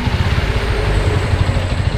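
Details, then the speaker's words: Honda Revo FI (fuel-injected) engine at idle sounds rough, an uneven lumpy low thump; cam chain found quite loose, oil-pressure automatic tensioner bled of air, noise persists, cause not yet confirmed. "nah memang untuk suara untuk untuk suara mesin ini masih terdengar kasar ya beda dengan motor-motor yang sebelumnya masih bisa diakalin seperti ini ya"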